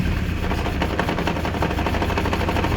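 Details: Kawasaki GPX 600R four-cylinder motorcycle after long sitting, before carb rebuild, warming up on choke; loud ragged popping, surging idle with uneven stumbling beats, apparently running on only one or two cylinders.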